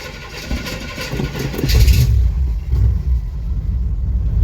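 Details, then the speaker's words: 1976 Chevelle Malibu V8, cold start after pumping throttle, exhaust cut off except catalytic converter, engine previously flooded: catches and settles into loud, lumpy but steady idle; normal cold start. "right I cut off the exhaust other than the catalytic converter sounds pretty good actually yeah sounds real good"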